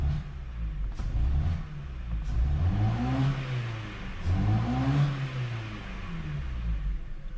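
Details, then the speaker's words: Ford Focus, crank-no-start, after new spark plugs fitted: engine vibrates heavily with revs climbing and falling unevenly in a stumbling, lumpy beat; check light flashing, P0300 multiple misfire, cylinder one dropouts; misfire blamed on faulty supplied plugs. "so you see how the engine is vibrating a lot all right so those are the old plugs so when i grab the engine the oh look at what's happening [Music] you can feel like a misfire right"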